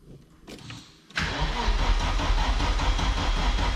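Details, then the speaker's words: Audi S2 sitting nearly 5 years (broken gearbox, corrosion), battery at only 11 volts: slow, labored cranking about four turns a second that never catches; booster then added. Slow cranking from low battery voltage. "Ouais, oui. En fait, il n'y a que 11 volts. Hein. Il faut du jus, hein."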